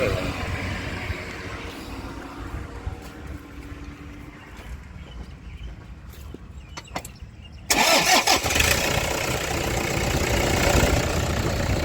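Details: A Toyota Vigo/Fortuner common-rail diesel starts after replacing a worn pulley that caused noise at the front of the engine, driver's side. It fires up and idles steadily with no squeal or rattle; normal.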